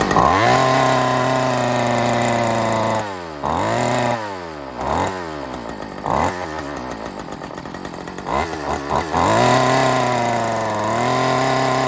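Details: Old Homelite two-stroke weed eater stored in a shed over 10 years, first start after cleaning and new parts: screams, then revs sag and hunt unevenly before recovering; rough, surging running after long storage.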